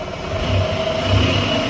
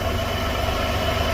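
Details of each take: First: Buick petrol engine after a misfire diagnosed by oscilloscope and fixed by replacing an ignition coil: revs up and down smoothly, even tone, no stumbling; normal running. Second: Car brought in for an oil change, idling with a consistent cylinder 2 misfire: low lumpy uneven idle; injector shows no control, suspected open wire or dead driver.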